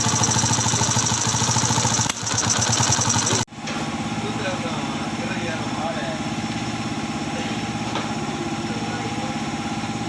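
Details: Yamaha FZ V1 at idle running rough with sudden stumbles and a sharp dropout around three seconds in, then evening out: engine misfire.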